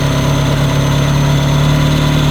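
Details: Ferrari 360 Spider V8 at idle: smooth, steady idle with a thin, constant loud high whistle from a persistent vacuum leak past the intake manifold runner gaskets, fixed by removing the intake and replacing the gaskets.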